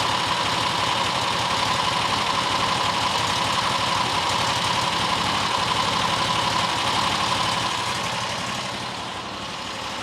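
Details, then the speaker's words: New John Deere XUV side-by-side after clearing a rat's nest from the airbox: small engine now holds a steady, even idle of about three pulses a second with no hunting or stalling; owner believes debris in the low-speed jet was the cause. "Idling now. Idling a lot better than it was."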